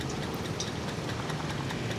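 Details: Vespa scooter that was stalled and hard to start, finally running after repeated attempts: low, light putter of the small two-stroke ticking over on its own; it keeps running, though the stalling cause isn't evident.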